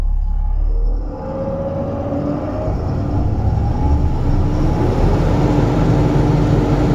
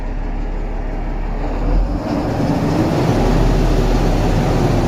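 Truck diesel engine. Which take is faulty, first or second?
second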